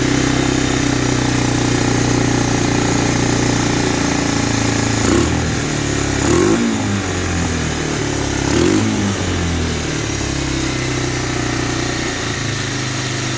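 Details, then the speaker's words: 1985 Honda Big Red 250ES, first start after carb rebuild, fed gasoline from bottle: single-cylinder thrum idling steadily with brief throttle blips, settling evenly; engine running fine. "side right there can't unlock all right now she's running"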